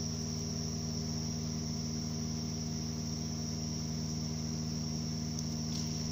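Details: 2008 Subaru Outback 5-speed manual at idle: steady hum with a thin, high chirping whine from a worn gearbox input shaft rear bearing.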